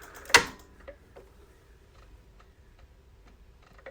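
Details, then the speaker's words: Harley-Davidson with a dead battery on a tender, showing an accessory VIN error: scattered light clicks about every half second from a relay. The relay chatters from low battery voltage, and a bad battery is the cause. "what I'm gonna do is the clicking noise that we're getting is right in there there is a was a PNA relay and it's clicking"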